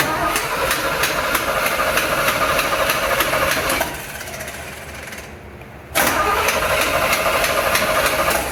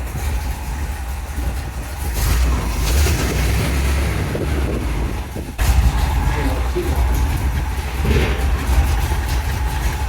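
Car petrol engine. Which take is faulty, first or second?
first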